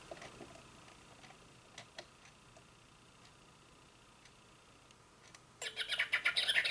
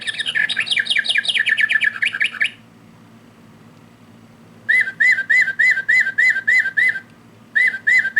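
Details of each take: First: Singing bird clock after movement replacement: near silence, then bright electronic bird chirping repeats quickly; hourly chime working properly. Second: Singing bird clock before repair: bird song from button on back sounds harsh, buzzy, very digital, lower tones broken; clock mechanism also stopped.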